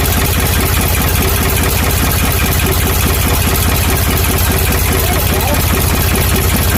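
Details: Ford 555 backhoe diesel after the head was reinstalled and the fuel system bled from filter to injector pump to injectors. A steady low chug at about two and a half beats a second; it idles normally.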